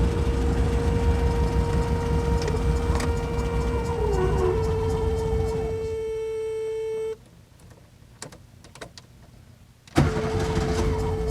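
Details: 1971 VW Type 3 Squareback back on the road: a steady mid-pitched whir over the running engine cuts out briefly and returns unchanged. Source not pinned down; whirring noise.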